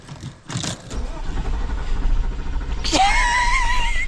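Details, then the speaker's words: Porsche Cayenne V8, off the road for years, after alternator, starter and intake work: brief crank then catches into a steady deep rumble and revs cleanly; starts fine, coolant still low. "Key in. And it started. That is amazing."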